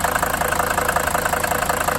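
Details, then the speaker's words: Mercedes 300D five-cylinder diesel, long-sitting salvage buy, first start after idle adjustment: steady, even diesel clatter at idle with regular light knock rhythm, no misses; sounds healthy. "overall I'm really happy about this engine seems to sound pretty good"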